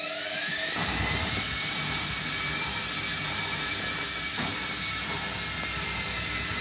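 High, drill-like whine holds steady over a rough rumble throughout the spin, louder than a washer should be at speed.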